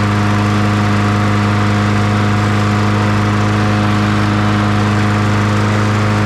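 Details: 2002 Murray 20-inch bagger/mulcher with 4 HP Briggs & Stratton, just after first start on fresh fuel with primer working: steady, even single-cylinder drone at constant pitch, no misses or surging; running cleanly.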